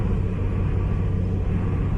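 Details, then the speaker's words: Honda City road test after repair of rough, shaking, stumbling running: deep, even engine rumble under throttle, revs rise quickly with light throttle, no stumbles or misses; accelerates cleanly and healthy. "นะครับอ่าแต่ปกติเลยครับไม่มีอาการรอบตรงว่าSwingนะผมแต่เขาเร่งนิดเดียวครับผมรอบขึ้นมาเลยนะครับตาเร่งดีมากครับ"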